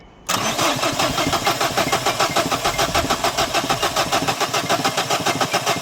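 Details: 2011 Dacia Sandero Stepway, 1.5 dCi diesel, won't start, with a rail pressure sensor fault code. It was being tested at the workshop, where fuel pressure was said to be too high. The starter churns at a steady, even beat for several seconds but never catches: cranks, no start.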